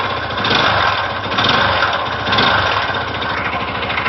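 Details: Yamaha YZF-R125 idling with an uneven, slightly lumpy beat about once a second over a buzzy exhaust; weird engine sound, cause unclear.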